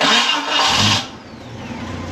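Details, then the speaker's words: Jeep Cherokee, right-hand drive, runs fine but inconsistent noise: starter bumped, cranking with uneven clunky knocks under the whir not matching compression pulses; suspected warped, found cracked, wobbling flex plate. "I think that flex plate is Warped I'll find out"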